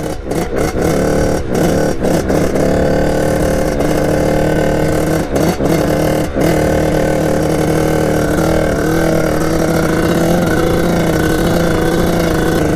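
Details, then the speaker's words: 1989 Kawasaki KX80 big-bore 110 two-stroke held at full throttle never comes on the pipe, pitch staying flat and bogged instead of climbing sharply; owner suspects jetting or something slightly off, unconfirmed. "this thing's gonna be so fast once it goes come on go well that's the bike for you guys I went through everything I don't know what it could be either jetting or something's a little bit off"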